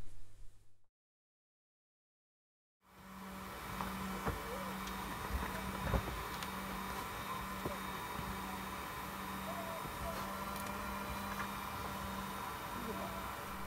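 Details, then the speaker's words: DIY inflatable SHERP-style vehicle driven by two vacuum cleaner motors on a 240 volt battery: after silence, steady low even hum as motors self-oscillate with switches on; unwanted self-oscillation. "in that clip you can actually hear the vacuum cleaners humming away and that's actually the third issue that I wanted to clear out before today's test ride"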